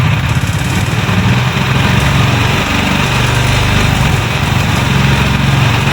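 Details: Honda Highness CB350, noise appearing after first service, recorded at dealer: steady running with harsh, clattery mechanical noise over the exhaust beat; engine/cylinder seizure later named, dealer opened engine, cause not confirmed here.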